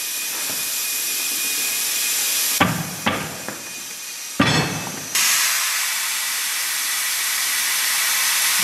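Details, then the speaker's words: Kubota micro tractor found in storage: steady loud hiss throughout, briefly broken by a few metallic clunks; compressed air escaping from a leaking distributor valve. "Ah, parce que là en fait il y a une fuite dans un distributeur là. Ouais. C'est ça. C'est normal qu'on entende souffler comme ça."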